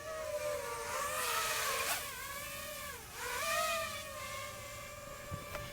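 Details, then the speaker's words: DJI FPV drone on third-party replacement props: clean steady motor whine swelling and dipping with throttle, no rough buzz or wobble. No vibration, performing close to stock. "now these don't have that vibration i don't know if you could hear that before but before there was like this noise"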